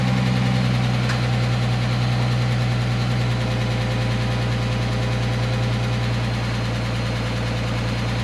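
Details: 2010 Dodge Charger 3.5L V6, just after the first start following timing belt, water pump and thermostat replacement: settled idle with a steady low hum and no ticking or knocking. It sounds healthy, though it smells a little rich.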